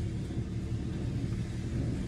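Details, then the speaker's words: Hyundai after reviving low-compression cylinder with cleaning fluid and new spark plugs; low even idle rumble with no miss, smoky as fluid burns off; normal idle. "now let's go drive it and see she already running smooth it's smoky"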